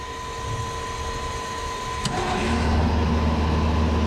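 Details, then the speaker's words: Carrier 30GTN chiller in test run, condenser fan 3 switched on: fan motor kicks in midway with steady low hum and buzz over plant noise; sounds like bad bearings but technician suspects the contactor. "That motor sounds like it's got bad bearings in it, but I think that's the contactor."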